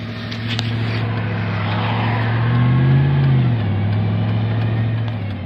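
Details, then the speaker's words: Truck with automatic transmission: it surges and can't exceed 30 mph, and on harder throttle revs flare as if in neutral. A low drone with dull rubbing underneath; fluid level is full, owner suspects the transmission is slipping. "just like a not a happy sound if I get on the gas a little too hard it just revs up like it's in neutral so something's not happy"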